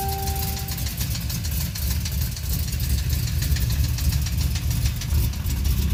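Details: Chevrolet Camaro Z28 with LS1 V8, Comp Cams cam and SLP parts, idling with a steady deep knock tapping through the rumble from a spun rod bearing.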